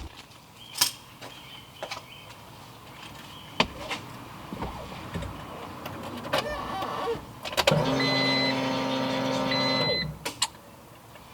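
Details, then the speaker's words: EF Civic B-series turbo build, bigger fuel pump fitted for planned E85 with stock rail, injectors and pressure regulator: steady electric buzz for about two seconds after key-on, then a clean cutoff, so the pump primes normally. "yep sounds like it primed all right I'll get it down on the ground and start it up"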